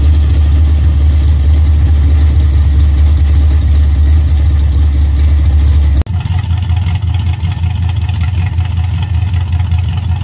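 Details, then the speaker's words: Dodge Challenger V8 at idle before the repair: loud deep lopey exhaust with a loose metallic rattle caused by loose clamps on the headers. The headers were later fixed. "as far as what the car sounded like before the exhaust was fixed the headers were fixed you can hear that rattle so check that out"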